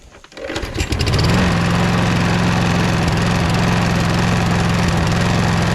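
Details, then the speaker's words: Toro Recycler mower with Kohler XT675 engine running; even buzzing rattle about three or four times a second over a steady run, owner suspects the loose, caved-out front bumper vibrating, not confirmed. "So when the engine's running, I think it makes like a vibration noise. I'll show you right now. Other than that, there's nothing wrong with it. It just makes a noise."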